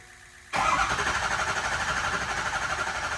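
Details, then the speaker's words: Ford 6.0 Powerstroke diesel just after standpipe, STC and branch tube delete kit install: engine fires and settles into a slightly uneven, lumpy idle from air in the high-pressure oil system; needs idling and hard driving to purge. "All right, James, get ready to crank it. It's going to run just a touch rough cuz it does have air in the system."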